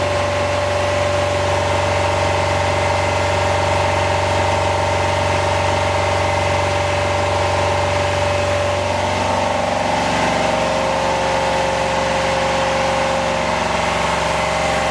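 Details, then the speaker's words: Home-built standby generator set in garage running: loud, steady engine drone with even hum and slight pitch drop near ten seconds; running normally. "oh all right it's pretty noisy it's hard to hear there"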